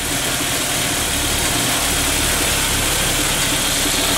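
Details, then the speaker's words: 1999 VW Passat 1.8L turbo, cold idle: ragged stumbling idle with knocking misfire, barely moves when floored, better warm; caused by faulty mass air flow sensor, ignition control module also replaced. "well unfortunately this is what it was doing before when it's cold you can hear it kind of knock in there when it's missing and then at times you can you can floor the thing and it just you can just barely move along the street for some reason"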